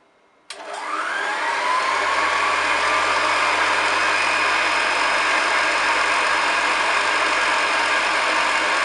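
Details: Restored pre-war 1929 Hoover Model 725 vacuum with new belt, brushes and cable, made electrically safe: switches on with rising whirr settling into smooth, steady, even roar, no rattles; motor and brush running healthy.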